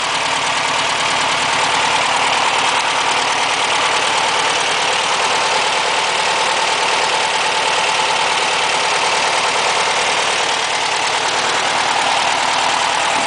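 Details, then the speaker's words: 1963 VW Bug air-cooled flat-four, still mostly cold, started easily after valve adjustment and fuel priming; settles into an even idle with steady busy valve chatter, no knocking or missing, oil pressure and generator lights out; normal idle. "I'm actually surprised it started as easily"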